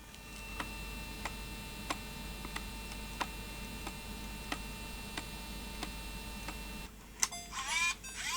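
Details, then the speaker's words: Sony DCR-IP7E MicroMV camcorder playing a tape: even click about every two-thirds of a second over a quiet whir; take-up reel table cracked right through, so a gear tooth clonks on the crack each turn. "it's clonking oh that doesn't sound too good does it"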